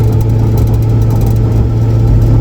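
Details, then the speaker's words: Turbo Lincoln Town Car driving on a freezing morning, with 3.55 rear gears: steady low droning howl on one pitch under drive noise, coming from the rear differential. Ring and pinion later replaced, switching to 3.31 gears. "You hear that howling? Gone. There it is. That's the noise we're trying to figure out."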